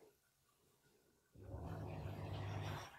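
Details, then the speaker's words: Kitchen grey water pump in France lifting water 2 metres to the sewage line, recorded right beside the pump: low steady motor hum kicks in about 1.5 seconds and stops when float level drops. Normal short pump cycle, relatively quiet. "the pump only kicks in when the device gets up to a certain level. One short burst and it's pushed enough water up the pipe, and it won't kick in again until the level is reached again. So again, once again, it's just clicked in again."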